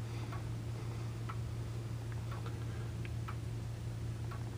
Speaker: you can hear that we have a nice even beat we're not getting a tuck tick tuck tick tuck tick we're getting a nice even tick tock tick tuck tick tuck